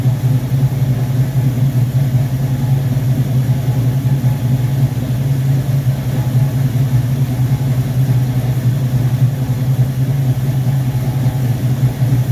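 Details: 1969 Corvette with rebuilt Rochester Quadrajet 7029202 (fuel bowl had been eaten by left-in ethanol fuel, cleaned up), first start after rebuild: steady, even low V8 rumble with no misses, knocks or hiss; normal healthy idle.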